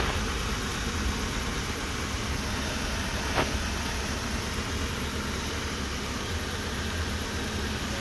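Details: Toyota 1TR engine after a full overhaul that followed loud knocking: it starts easily and settles into a steady idle with a smooth low hum and no knocks, ticks or stumbles; it runs healthy.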